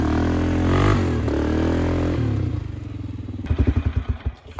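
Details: 2001 Polaris Sportsman 500 HO after flood repair, test ride: single cylinder pulling under load with even firing through loud aftermarket muffler, healthy; AWD engages, cooling fan cycling normally; primary clutch engagement delayed.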